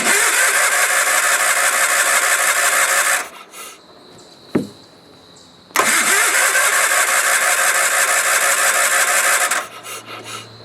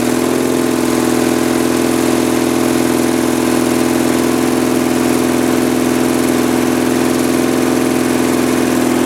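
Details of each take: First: Sears Craftsman FF/20, not run since 2009 revival, fresh fuel after siphoning crud from tank, choke pulled: two long spells of steady starter cranking, about three turns a second, never fires; only fuel pump working, cause not confirmed. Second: Early-1980s Sears Craftsman FF20 tractor single-cylinder engine after carburetor cleaning, choke partly closed: steady, even drone at constant speed with no misses or surging, running smoothly on its own.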